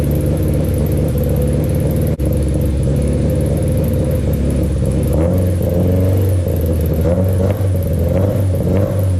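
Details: Rebuilt Honda Civic engine running after its first start, exhaust temporarily mocked up with heat shields not yet fitted: a deep, even exhaust rumble that climbs smoothly with a few revs and settles back, no knocks or ticks. Normal running after the rebuild.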